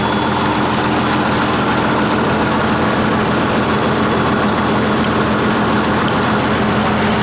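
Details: 1959 Caterpillar D337F diesel genset, about 959–960 hours, long stored in a barn, first run after revival, no load, barely up to operating temperature: steady even rumble at constant speed, no knocks or misses; runs well.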